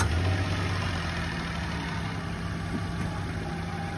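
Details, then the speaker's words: 2023 Mitsubishi Mirage, just over 33,000 miles on the odometer, started right up: very clean, quiet engine, even low hum with no knocks or ticks; normal idle. "Very clean, force quiet engine on the Mitsubishi. Started right up, moved it forward, moved it backward."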